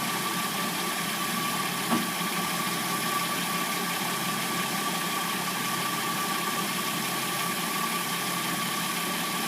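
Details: Hyundai Sonata (2006–09) with a replacement engine, warmed up at idle: a thin, constant whine over a hissy mechanical hum. This is described as timing chain noise.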